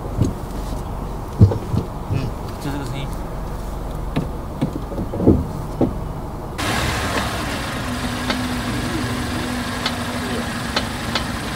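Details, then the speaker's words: Mazda Atenza with a groaning brake noise when braking in reverse: scattered clunks at idle, then a steady low groan. A dealer check did not fix it; the mechanic traces the noise to the steering knuckle area. "这个车的问题就是挂倒档踩刹车异响啊。"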